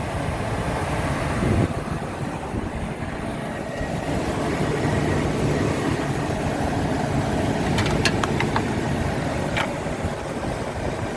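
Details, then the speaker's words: 2004 Ford F-350 XL Super Duty 4x4 utility bed truck, V10 gas engine with clean bay and fresh-looking oil: soft even low rumble at idle, faint clicks, no squeaks or knocks; engine idles quietly; normal idle. "you can hear the engine uh idles quietly there's no squeaks or any any issues with engine noise or anything like that"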